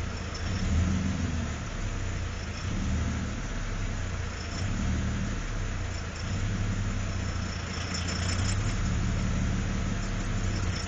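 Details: V6 Chevrolet Camaro idling with no throttle input except at 0:18 and 0:25: low rumble that slowly surges and dips on its own; owner suspects an engine knock, cause unconfirmed.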